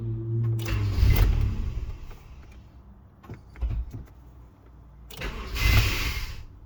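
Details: 1999 Honda CR-V: starter cranks in short bursts, engine briefly catches then dies, repeated attempts with uneven firing; intermittent no-start and engine cut-out.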